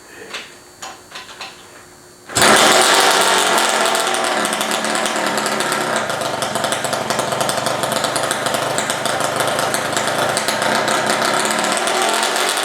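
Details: Honda Dio stroker two-stroke moped with dual electric water pumps, kick-started at night, still awaiting about a month of fine tuning. After a few kicks it fires and settles into a busy, even buzz with no knocking. Normal running.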